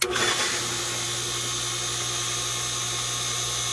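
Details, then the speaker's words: Newly installed Aquastrong 1.5 hp 230 V pool pump, after fixing a leak, humming much louder than normal: a steady low drone under a hiss. Owner suspects a brush shifted while the motor was moved; the impeller was also being checked. "that's much louder than normal so what I think happened is um when moving that motor around maybe one of the brushes on the inside um got moved a little bit"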